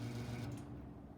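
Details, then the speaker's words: Vintage 1970s Eskimo 20124 fan starting on low: a quiet, steady electrical buzz that is louder on low at startup as the fan struggles up to speed. The owner suspects one motor coil is more varnished than the other. "so two different coils are buzzing it's on low it's like and on high it's like so one of the coils is more varnished than the other or something"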